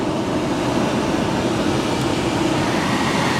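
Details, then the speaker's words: 2010 Volkswagen Jetta SportWagen 2.5 SE at 28k miles, climate control blower on high: loud, steady rush of air with an even whoosh and no ticking, rubbing or whine; normal. "And this thing blasts. It's very loud."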